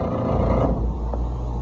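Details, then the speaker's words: Electro Freeze ice cream machine, second unit, right beater motor run in diagnostics mode: loud, rough low hum with a gritty edge as it starts and settles, sounding like the belt but the motor itself is faulty; faulty beater drive motor. "All right, this is the second machine. We've got two here. This is the one that sounded terrible."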